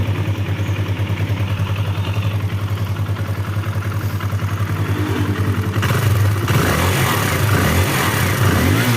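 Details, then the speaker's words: Kawasaki KLX 150 idling after valve and cam chain check, previously rattling from late oil change: steady low putter with no tapping or rattle; engine now smooth. "ya ini suaranya sudah halus Ya teman-teman sudah tidak"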